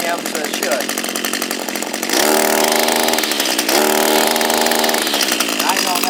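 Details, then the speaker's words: Echo SRM230 two-stroke string trimmer, hard to start and not running right: fairly low-pitched buzz rising and falling, never settling to a crisp high rev, lacking speed; a restriction or an ungreased head is suspected, not confirmed. "we could have some restriction down here that's causing it to not go around as fast as it could"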